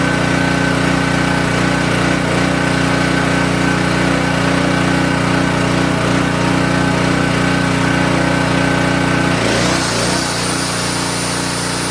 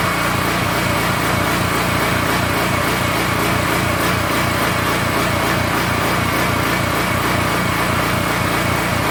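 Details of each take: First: King Canada 3000 W (2,300 W running) generator after repair and new air filter setup, run before load test: steady, constant-pitch drone with no misses or surging for ten seconds, then it winds down; healthy running. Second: King Canada 3000W portable generator engine, bought after a loud pop killed its power output, run with no air filter fitted: choppy, uneven beat that surges instead of holding steady speed, a hunting idle.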